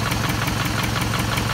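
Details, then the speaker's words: 2006–2008 Toyota Camry 2.4 engine at idle: sharp ticking about five or six times a second. A replaced lifter did not cure it; the noise was traced to a leaking exhaust manifold, fixed by replacing the manifold/catalytic converter with a new gasket. "this is a 2006 2008 uh toyota camry bbti engine uh save a lot of noise for i think the exhaust adjust manifold noise from there uh i change a lifter it doesn't work still noise"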